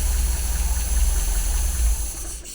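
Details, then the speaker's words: 1980 MGB twin SU carbs, engine not yet fully warm. Lifting a carb piston makes the idle sag and cut out; owner thinks this suggests the mixture is too rich, to be checked once warm. "you see the way now when I lifted that piston, that cylinder cut out, or the engine cut out, I mean. That would suggest to me that it is too rich, I think it is."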